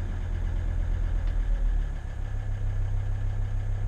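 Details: T1N Mercedes Sprinter diesel van that sat over a year and was hard to rotate, now started: low, steady diesel clatter at idle, even and unbroken, no misses or knocks; normal healthy idle, purring like a diesel should.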